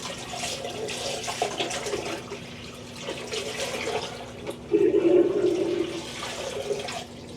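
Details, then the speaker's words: Magic Chef 1.7 portable washer, five years old, on spin: steady low drain pump hum under strong gush of water pouring out; drain pump works normally though the machine has otherwise failed. "So the water's going to come through here. See? It does that perfectly fine. Which drains the water out, so it's not like the water is stuck or anything like that, you know."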